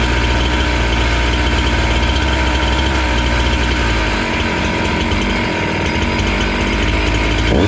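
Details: Husqvarna 268 two-stroke chainsaw, which stalled once warm and would not restart, now idles after carburetor screws were set about 2–2.5 turns out: a steady, even buzz that holds speed without hunting or dying. Normal idle.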